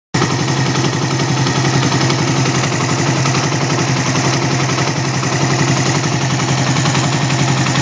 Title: mash 75 bruit moteur